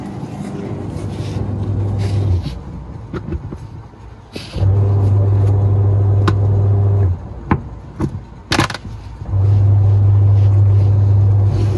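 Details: Washing machine after replacing worn coupling (panja); motor hums smoothly in even start-stop bursts both directions, no clunking or slipping: drive turns properly.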